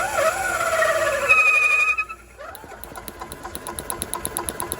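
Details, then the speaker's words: Club Car DS gas golf cart, sat about 10 years, fresh gas and carburetor bowl opened: after a pause the engine catches and runs evenly at about three beats a second; firing shows the RPM limiter is bad and needs replacing. "Firing up now, so it is firing. All right, so that tells you right there that the RPM limiter is bad."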